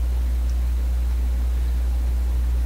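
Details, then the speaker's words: Hum at mains frequency measured at the plate of the second 6SJ7 preamplifier tube in a vacuum tube PA amplifier during hum tracing with paralleled cathode bypass capacitors; constant low deep hum, unchanging level, source not yet traced. "So this is the hum we're listening to coming out of the plate of the second tube."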